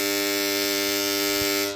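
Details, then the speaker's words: Submersible pump panel contactor: loud harsh buzz because the coil armature won't pull in, an insect inside keeps the metal cores from touching; pushing it by hand stops the noise, fixed by opening and cleaning. "Kontaktörden niye bu kadar ses geliyor? Gördüğünüz gibi bobin kavuşmuyor."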